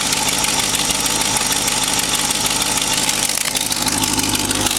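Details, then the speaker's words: Freshly rebuilt '65 Chevy 283 bored .060 over to 292 with Crane cam and 400 small-block heads, in a '51 GMC pickup, under an hour's running. Warm idle at about 160°, 45 psi oil pressure, idle set high for break-in, exhaust leak present. Smooth, even idle on all eight cylinders. "you can see it's not vibrating badly at all so it's hitting on all eight lungs sounds pretty good wrap it up a little bit the idle set a little bit high i like to keep it that way and keep the oil pressure up until it gets broken in a little"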